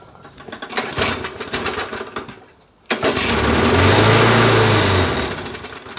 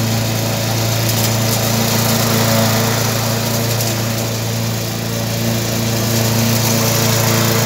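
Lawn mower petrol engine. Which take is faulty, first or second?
first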